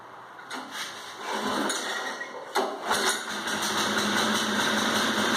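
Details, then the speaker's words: 1980s Honda rototiller, cold, first start in about 10 years, fuel on, choke set: pull-start rattles, starts on second pull and settles into a steady fast even buzz; normal running after cold start. "so the old Honda lives up to its name as far as quality started after the yes second pole who knows it may have started after the first pole if I didn't bring the flow pole"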